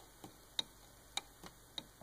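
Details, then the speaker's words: Shapeoko3 CNC V-wheel removed and held in a vise, plastic outer wheel slopping on its bearing: sharp irregular clicks, about six in two seconds, as it rocks a fraction of a millimeter, causing Z-plate movement. "I can certainly hear it clicking. It's moving, a fraction of a millimeter,"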